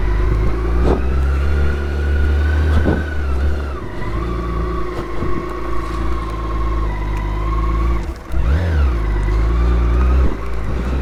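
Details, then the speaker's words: BMW K1600 GTL motorcycle on a test ride after its 50,000 km major service: a smooth, even six-cylinder note rises and falls cleanly with the throttle, with no knocks or rattles. Normal running under acceleration. "as you can hear sam is now sending back to her majestic self"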